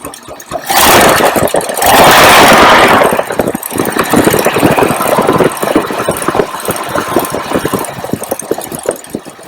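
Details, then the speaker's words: 1953 Packard Clipper Deluxe engine at hot idle after valve adjustment; only one valve was tight, about 8,000 miles after the last adjustment. After a brief loud burst it settles into a smooth, even idle with only faint valve ticking. "And as you can hear, it's really almost no valve noise when they're adjusted properly."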